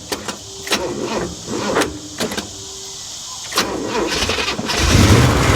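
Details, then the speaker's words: Burnt 1955 Chevy Bel Air, long-sitting, before new carburetor: cranks in uneven bursts, catches and stumbles with irregular pops, then lumpy unsteady run; timing suspected way off though untouched. "Man, that sounds... timing is way off, guys. Listen to that. Nobody's messed with the timing, though."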